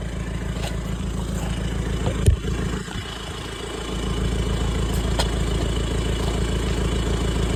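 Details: VW Touran TDI diesel after swapping a faulty reconditioned turbo for a scrapyard one to fix a boost problem: even diesel clatter at idle, rising slightly in speed, with no knocks or misses; running normally.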